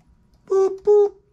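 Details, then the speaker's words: 1984 Bertone X1/9 after installing a smaller steering wheel with a hub adapter and reattaching the horn ground: two short, clean, steady-pitch honks about a third of a second apart. Horn working normally. "horn works okay so we got a smaller steering wheel"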